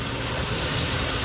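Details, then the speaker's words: Infiniti Q50 VQ37, 156,000 miles, cold after spark plug change: steady idle with constant sucking hiss and won't rev fully; intake vacuum leak affecting mass airflow, part needs replacing. "But I just want to say just now, right now on video, yeah, we're gonna have to end up changing that, guys. You can hear the suction leak right there."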